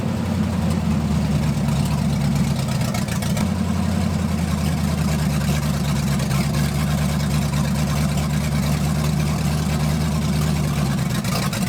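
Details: 1980 Dodge short-bed truck with big-block V8, first run in 14 years, during cam break-in after points-to-electronic-ignition conversion: steady, even low burble at constant speed, no knocks or misses; running healthy.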